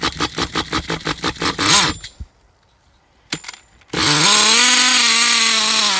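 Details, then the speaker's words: Traxxas T-Maxx nitro RC truck with a replacement engine putters with throttle blips, then screams at a constant high pitch with no throttle input: runaway high idle. Owner suspects air bubbles in the fuel line; needle at 3.5 turns versus 4 stock. Unconfirmed. "so yeah it just sits there and screams and I don't know what to do I mean it seems like the fuel line is getting air bubbles in it"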